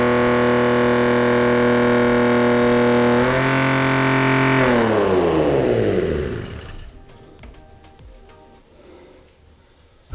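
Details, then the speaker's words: Mercedes W124 with an OM606 turbo diesel at first start on a new larger battery: it holds a steady, very high speed near max rpm with no dip, then winds down; the throttle had been left slightly pushed open. "all right so lesson learned um i am a bit dumb so i had the throttle a bit pushed down previously"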